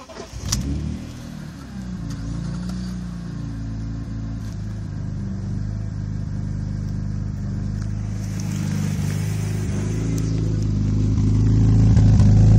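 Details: BMW E46 M3 idling with a low, loping, slightly uneven burble rising gradually in level; rough idle, owner suspects misfire.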